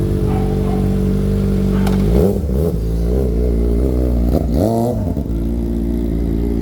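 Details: Kawasaki ZX-4RR being revved before backfire fix: sharp rising and falling revs with dull pops on throttle blips; exhaust backfire on revving.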